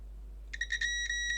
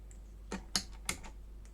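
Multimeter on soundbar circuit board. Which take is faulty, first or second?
first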